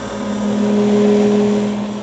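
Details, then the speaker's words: Grizzly G310 milling machine spindle at 2220 rpm: steady low hum with a higher tone swelling and fading in a pulsating effect, louder at higher rpm; source unclear, spindle running rough. "all right now i'm hoping you guys can hear this pulsating effect that's going on when i turn this on um and like i said when you go faster in rpms it just sounds louder and everything else"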